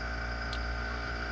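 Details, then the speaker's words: Homemade silent compressor with a propane-tank air reservoir, run at about -8 °C; tank below 95 psi, so the pressure switch clicks on and the compressor cuts in with an even low drone, no knocks or surging; normal running. "there it goes got to put it on first it's below 95 so it'll it'll come"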